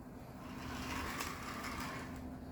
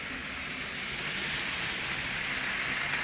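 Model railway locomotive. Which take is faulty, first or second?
first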